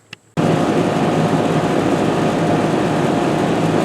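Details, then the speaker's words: Ruud heat pump outdoor fan after replacement with upgraded mounting (bolts and fender washers) following two identical fan failures: abrupt start then smooth even whoosh, faint low hum, no scraping or knocking; runs quietly. "nice and quiet time will tell if it's going to work"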